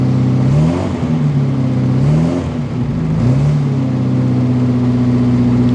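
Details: Westfield XI stored for years, started after starter fluid. Catches, is blipped a few times, then settles to a steady, even idle; runs fine with good oil pressure, though the ignition light stays on.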